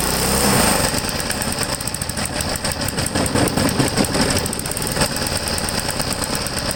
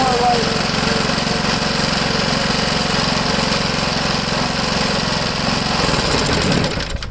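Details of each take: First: Vintage Briggs & Stratton 3 hp single-cylinder engine, unrun about 15 years, carburetor likely gunked; screams at high constant rpm, won't ground out to shut off; throttle stuck wide open, suspected from rust: overspeed. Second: Vintage Briggs & Stratton 3 hp single-cylinder engine, unrun about 15 years, after fixing a stuck throttle; pops along at even governed speed then winds down: normal governed run.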